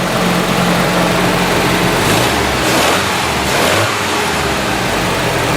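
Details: Original one-owner 1980 Datsun 200SX revived after sitting about 5 years, run to check the thermostat opens: steady, even engine note rising and falling with throttle, no knocks or misses; the engine sounds healthy.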